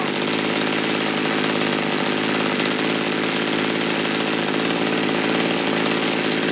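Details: Mantis mini tiller two-stroke, sat ten years, just after replacing the carburetor metering diaphragm, air filter off before carb adjustment: small engine buzzing at a high, steady speed with no misses or surging, normal running.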